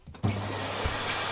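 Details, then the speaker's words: Hoover Compact Electronic S3462 vacuum cleaner after refurbishment, new foam filter cut, sawdust cleared, hose fitted: motor switches on and settles into a steady, even high-pitched rush, no rattles or wavering; good suction on low and high. "yeah ooh there's a suction on both low and high which is quite nice"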